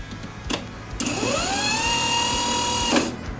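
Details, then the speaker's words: Starter motor bench-tested, positive wired directly and negative grounded: a click, then a whine that spins up fast and holds steady for two seconds before cutting off. The pinion engages and closes the full-power circuit; the starter runs freely. "perché il negativo tocca sempre tutto il motorino il positivo e ci tornerei che fa uscire il motorino che si aggancia e chiude il circuito a cui arriva la piena potenza"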